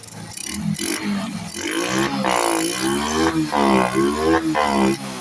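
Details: Honda RS 125 carburetted motorcycle after draining fuel suspected contaminated with diesel: engine catches and runs through several quick crisp revs with no misfire or stumble; runs cleanly, problem fixed.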